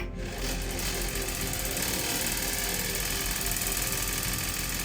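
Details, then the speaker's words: PC fan blades striking a couple of loose wires at first power-on of a newly built PC: fast, harsh continuous buzzing rattle; the noise stopped once the wires were moved. "that is a very bad sound right why is it making that sound okay so there was a couple wires that were touching some of the fans"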